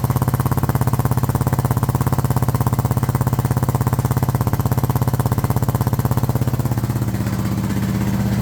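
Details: Suzuki DR650 Dakar SP41B single at idle: fast, hard, even thumping beat changing slightly near the end; owner reports strange engine noise, cause unknown.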